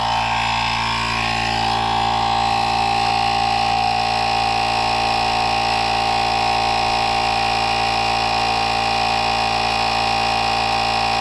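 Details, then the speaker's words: NovSight G5 jump starter's tire inflator pumping a tire from 8 PSI toward a 40 PSI set point with its cooling fan running: steady, even motor drone and fan whir, brief pitch rise at switch-on, no knocks; reached 40 in about 18 seconds. "So, I'm just going to hit on. And we're going to let it go. And it does have a fan right here. As it pulls air in, it keeps the unit cooler."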